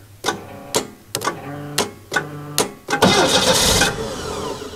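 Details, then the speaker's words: 1989 Winnebago LeSharo RV after a new fuel pump was installed: sharp clunks every half second as the starter bites and drops out, then the engine catches and roars but won't stay running. Intermittent starter engagement; the owner suspects a relay. "on starter's been acting up we possibly"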